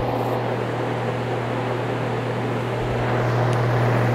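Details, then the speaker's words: Dayton 2MA11 24-inch fan after fitting an 8 µF speed capacitor, running at about 900 rpm or slightly less and measuring mid-50s dB, down from about 73. Steady low hum under an even airy rush, no rattle; quiet, normal running. "so i think we're gonna stick with the eight that's kind of where i'm going with this statement so we're in the low 60s right now [Music] actually mid 50s"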